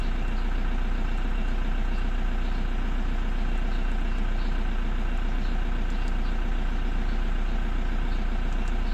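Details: Toyota with P0340 camshaft position sensor no-connection code and hard starting: steady even idle, smooth low drone, no misfires, stumbles or knocks; engine sounds settled.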